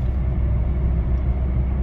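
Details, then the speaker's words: 2012 Skoda Yeti 2.0 TDI diesel, about 149,000 km, test drive after wheel bearing and brake pad replacement and throttle body cleaning: steady low road rumble at speed, no hum, growl or droning from the wheels; the bearing is quiet. "No dobra kochani a ja już sobie jadę z godziną żadnych niepokojących dźwięków nie widać"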